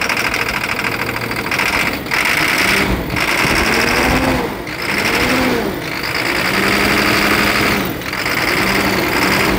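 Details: International school bus DT466 diesel idling with clatter and a rhythmic stumble every second or two; misfire diagnosed as failed number 5 injector.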